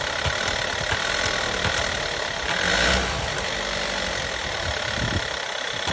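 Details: 2012 VW Golf 6 1.4 TSI 122 PS: engine revs once then settles to idle, with a faint irregular ticking and rattle over the hum, source unclear; abnormal engine noise.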